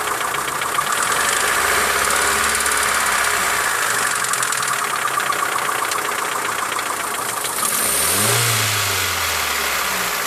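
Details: Mitsubishi Lancer 9 1.6 engine ticking: fast regular light tapping about four a second over running engine; owner suspects middle hydraulic lifters, services suggested much up to engine replacement; unconfirmed.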